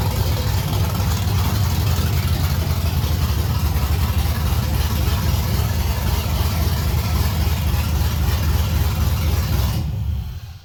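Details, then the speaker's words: 1989 Chevy S10 Blazer with LS swap and NV3500, LS1 intake, in neutral, first start in a couple of weeks on the stock cam: deep lopey idle with an uneven but consistent chop, no belt ticks or squeals; normal choppy cam idle. "beautiful haven't started in a couple weeks"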